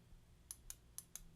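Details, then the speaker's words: Toshiba EM131A5G microwave: replacement Yamatake door microswitch (16 A, 250 V), fitted after the original switch stayed shorted with the door open, running the fan and turntable. Five crisp, distinct clicks as it is pressed; normal switch action. "can definitely hear the click action in this one."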